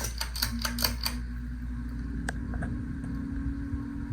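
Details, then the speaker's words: Old 52-inch Encon Contempra Supreme Hugger ceiling fan with spinner motor on medium speed via an old dial fan control/dimmer: after a few clicks, a steady mid-pitched airplane-like whine over a low hum; motor whine. "Hear that motor whine to it. It sounds like an airplane engine."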